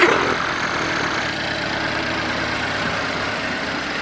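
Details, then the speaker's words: Chevy Malibu Ecotec at idle with stored codes for crankshaft and camshaft position sensors and intake air temperature sensor; steady but uneven, slightly lumpy beat; poor idle attributed to the crank/cam sensor faults, though better than before. "But this is another crank and cam sensor. So that would explain the poor idle."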